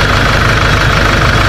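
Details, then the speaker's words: Kia/Hyundai Bongo D4CB diesel after repairing the noisy alternator whose pulley bearing was crushed: smooth steady low idle rumble, no squeal, rattle or bearing growl; charging reads about 14 V at the battery. Normal idle. "So, guys, okay na siya. Umaandar na."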